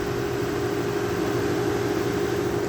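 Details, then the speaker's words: EQK 8000 BTU window air conditioner after capacitor replacement, drawing about 1290 W: steady even hum with smooth airflow hiss, no rattles or knocks, frosty cold air out; normal running. "it's definitely nice and frosty now this time air coming out of it feels nice nice cold and that recepts just humming away really nice sound"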